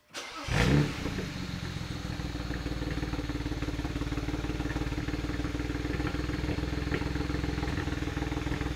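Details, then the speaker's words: BMW 335i N54 first start right after replacing all injectors, low fuel pressure: engine catches into a low, slightly uneven idle with a faint stumble, expected to smooth after restart and adaptation reset. "the car was running a little bit so so for a second they're a little bit rough"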